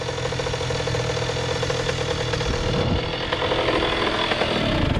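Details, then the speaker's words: 2001 Honda CR80 two-stroke with stock exhaust, previously making a knocking, rough noise: crisp, rapid idle holding an even beat with no knock standing out. The engine sounds healthy, though the owner still asks whether it needs a rebuild. "I mean definitely got some thought to it definitely got some thought to it because she idling real nice though y'all real nice"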